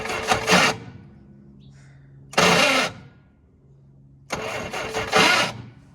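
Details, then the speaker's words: 1966 Jeep CJ5 farm-auction car, not on the road for decades, after fuel pump work; starter condition uncertain, spark questioned, starting fluid next. Three separate one-second cranking bursts with no firing; cranks but won't start, cause unconfirmed. "this may foil us I'm going to try some starting fluid cuz we don't we got to get a quick kick"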